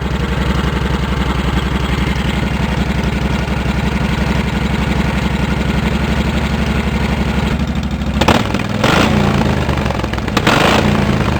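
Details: Cub Cadet 1650 4WD build single-cylinder, open pipe without baffle, revved while warming up: loud, rapid blatting beat sharpening on revs; exhaust far too loud.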